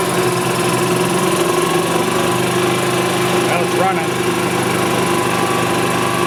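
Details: 1999 Club Car DS gas golf cart after carb cleaning, fuel pump replacement and fresh fuel: steady, even engine speed with clean drone, no misses, surging or knocking; running healthy.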